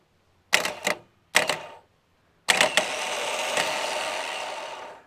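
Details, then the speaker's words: Holden VP Commodore 5.0 L V8 starter motor bench-tested after drilling out the solenoid screws, reassembly and greasing: two short clack-and-whir bursts, then a longer free spin winding down with no grinding. Spins quicker with grease; normal starter operation. "also with a little bit of Grease makes it spin a bit quicker doesn't it nice nice"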